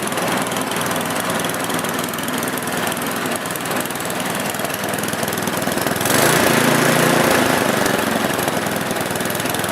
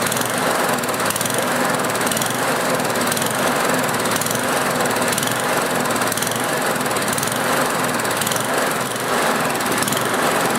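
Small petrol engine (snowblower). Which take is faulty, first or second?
second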